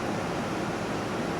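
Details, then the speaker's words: 1988 Tempstar AC condenser unit running after its seized fan motor was replaced: steady even airflow hiss with low fan drone, no rattles or cycling; 56.3 °F supply air, house around 80 °F, so cooling works normally. "and the ambient in the house is 80s so I think it's working just fine"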